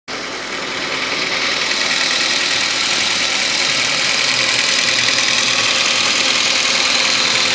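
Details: Steady idle with a quick, fairly even tapping over the engine hum, about three per second; knocking noise present, source undetermined.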